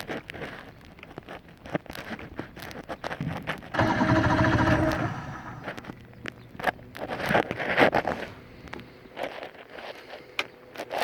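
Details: 115hp Johnson outboard that won't start, cause unknown; a brief grinding crank burst of about four seconds, then irregular clicks and handling noise, and the motor never catches.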